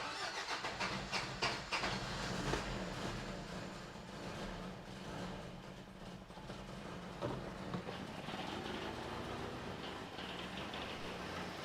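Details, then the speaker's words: 1993 Toyota pickup parked long-term, while the distributor is wiggled: uneven, lumpy running turns smoother and much quieter as the distributor is turned. Ignition timing is off; owner suspects the distributor is a tooth off. "I think we're tooth off cuz it only runs completely and totally that be Advanced"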